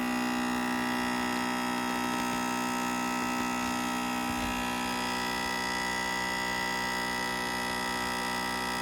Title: Acer Predator Orion 3000 loud buzzing noise